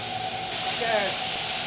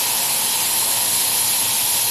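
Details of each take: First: Boiler safety valve on a live-steam locomotive, new and set on air to 120 psi, lifts on steam exactly at 120; steady hiss swells into a hard rushing blast; blowdown ring still needs adjusting for steam volume. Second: Live steam locomotive boiler testing new safety valve: steady loud hiss of steam venting hard and evenly as valve pops right at its 120 psi set pressure, within about two pounds, and shuts; lifting correctly.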